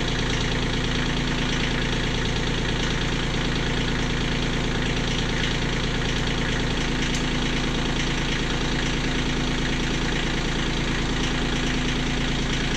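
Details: Kioti CK20HS diesel tractor at a settled idle after injectors were cracked to bleed air: steady, even clatter with no misses, surging or stumbling, fuel flowing. Owner still doubts the fuel pump and suspects prime loss overnight.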